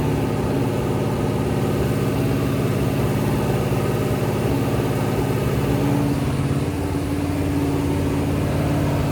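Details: Rebuilt 426 Hemi crate V8 (new heads, intake, pistons) on a run stand during flat-tappet cam break-in, about 15 minutes in at roughly 210°: loud, even, steady fast idle with smooth low rumble, no knocks or ticks; healthy.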